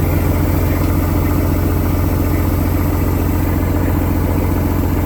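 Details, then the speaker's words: Truck that sat 11 years, first start: steady, even diesel idle with a firm low thump, no skips or knocks; good oil pressure, air pressure and voltage, airbags up, a couple of air leaks to find; normal idle. "Woo! She cleared up, didn't she? Man, guys, I can't believe it. It's working."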